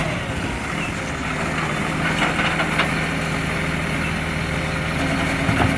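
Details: Recycling truck, heavy diesel under load: uneven puffing chuff riding over the rumble; exhaust leak.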